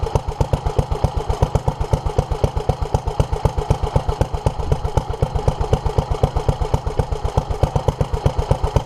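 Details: 1947 Petter A2 single-cylinder engine running after its Zenith 24T2 carburettor was stripped, ultrasonically cleaned and fuel pipes replaced; started easily; steady, even thump about four beats a second, no misses or knocks; fuel leak remains; running cleanly.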